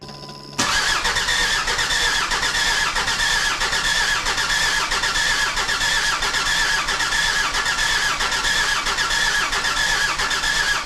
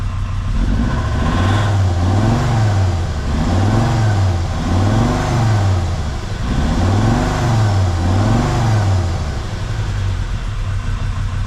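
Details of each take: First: Jeep WJ Grand Cherokee 2.7 CRD diesel after installing replacement injectors and recharging a low battery: steady labored cranking about ninety turns a minute with no firing; crank no start. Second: Jeep WJ Grand Cherokee 2.7 CRD diesel with injector problems, throttle test after Liquid Moly; repeated revs rise and fall smoothly with no knocking, and the engine sounds better, though it is still smoking a lot, only slightly less.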